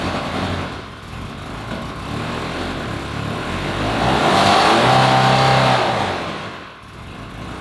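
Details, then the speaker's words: Ferrari 360 Spider V8, unrun 2 years, after stalling restarts; blipped throttle gives lumpy, uneven beat with engine management light flashing and strong fuel smell, no visible leaks; owner suspects not running on all cylinders. "I'm giving it some gas, but the engine management light is flashing and I don't think it's running on all cylinders."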